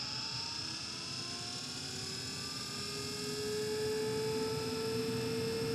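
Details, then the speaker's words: Carrier Infinity 98 gas furnace, installed 2014, first startup of the season, variable-speed inducer fan spooling up before the original hot surface igniter: smooth whine rising steadily, no rubbing or rattle; normal inducer startup. "Inducer fan. That's also variable speed."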